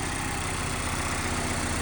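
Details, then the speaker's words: Mazda MX-5 Miata ND2 with a lower-mileage replacement engine and transmission, swapped in after the timing chain skipped, on its first start after priming the fuel; steady, smooth idle with no knocks, ticks or misses; engine running cleanly. "engine sounds good though and it started quickly which I'm surprised"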